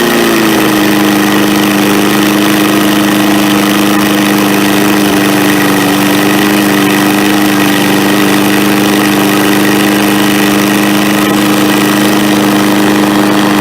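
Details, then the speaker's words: MTD push mower, carb cleaned and throttle spring rerouted: steady, high, even drone at full throttle with no misses or surging; owner notes the rpm seems high compared with a saw and another push mower. "It seems like it runs, like the RPMs is pretty high compared to this saw over here, or this Pushmower here"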